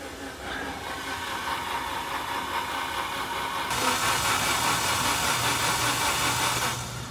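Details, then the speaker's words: Barn-find Alfa Romeo Spider, sat for 6 years, cylinders lubricated with WD40, spark plugs out, on a weak spare battery: steady starter churn with rising hiss, turning over a little slowly with no compression; no fuel pump prime heard. "So, for having no compression, that turned over okay, though a little bit slow, but that battery isn't the greatest."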